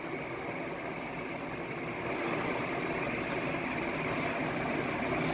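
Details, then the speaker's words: Banvil Enviro Breeze Gold Line 56-inch industrial ceiling fan, cast iron motor, made May 2018, on high: soft even whoosh of air, no knocks or rubbing; fan running normally. "okay yes this is such a fast fan like now you see I'm probably gonna stop talking here for a bit because I don't want to have it on high for too long"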